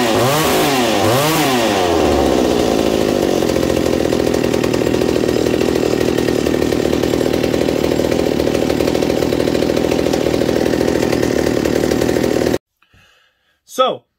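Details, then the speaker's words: McCulloch 790 MC101 chainsaw, rebuilt with an ignition chip, bar and chain just fitted: a couple of quick blips then a steady even two-stroke idle, slightly lower with chain on, held smoothly until shut off. Normal idle. "as you see after putting the bar and chain on it the idle drops slightly but it's perfect right there the chain just bumps forward a little bit and everything so i figured it was ready go test and it was"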